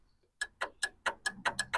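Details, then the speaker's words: 1967 Lincoln cruise (speed) control main relays, reinstalled, with the relay tab bent out to ground against the housing. Crisp sharp clicks, about five a second; both relays now click properly. "so now both relays click like they're supposed to"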